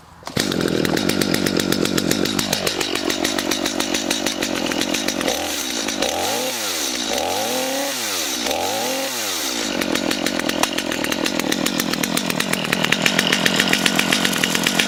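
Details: Stihl MS250 chainsaw cold-started after years unused, running after being unflooded (spark plug was fine): crisp two-stroke buzz settling into steady idle, then clean throttle blips rising and falling; runs normally.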